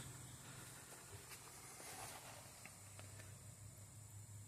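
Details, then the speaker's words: 1980 Pioneer CT-F1250 cassette deck, reel motor serviced for reel table stalling, bench-run at 3.5 V: faint steady low hum under light hiss, smooth, no dead spots or surging; motor working normally. "And yeah, there's no dead spots in that. That's great. So that motor is working exactly as it should."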